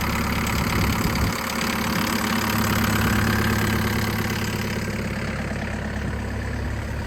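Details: Farm digger diesel after a full service, fuel filter change and bleeding of the fuel system: steady idle with an even low thrum, no misses or hunting. Normal idle.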